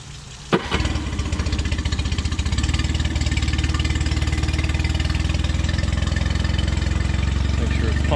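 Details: Outboard engine that had been sitting for a couple of weeks, believed to have no problems, starts: catches at once and settles into a steady, even low putter with no knocks or misses.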